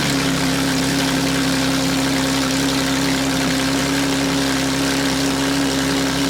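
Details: Porsche GT3 RS that had been misfiring, idling after new spark plugs and coil packs were installed. Smooth, even idle with a steady mid-pitched drone and no stumble or miss; the engine is running cleanly.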